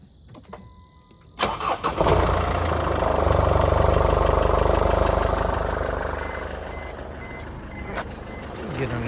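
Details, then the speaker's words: Mercedes-Benz GLK250 OM651 diesel at 151,000 miles, 10,000-mile oil changes with Mercedes-spec oil, cold start: catches quickly into an even idle, no timing chain rattle, only light cover buzz; slightly louder cold, normal. "there so no timing chain rattle or anything like that the only rattle is just the cover that's how one of these should sound with proper maintenance proper oil and so forth"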